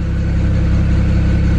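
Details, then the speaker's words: 2008 BMW 335i N54 twin-turbo inline-six heard at the rear: deep, even exhaust burble at steady idle with no misses, stumbles or hunting and no smoke; idling nice and smooth. "so much crap came out of it from before idly nice and smooth"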